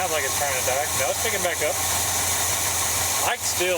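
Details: 1978 squarebody V8 with freshly rebuilt original Quadrajet carburetor, new ignition system and tune-up, now on its own fuel system with a full fuel filter: even, low idle that settles and runs steadily without dying, some hiss and chirping behind; steady idle.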